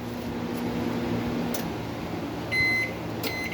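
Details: Mabe microwave after magnetron replacement, drawing about 12 A: a steady low mains hum and fan whir, then two high beeps; the water now heats, so the fault was the magnetron.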